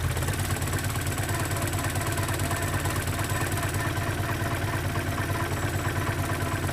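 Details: 1972 Datsun 510, L20B carbureted engine, adjusting idle screw around 470 rpm: low, steady even idle with no hunting or stumbling; normal idle.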